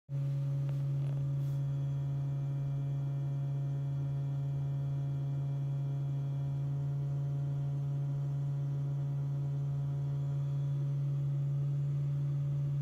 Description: This buzzing sound is usually due to the HVAC compressor located just under the dash which has a function to reduce battery temperature whilst supercharging. This is a normal sound and can be heard when standing outside the car as well.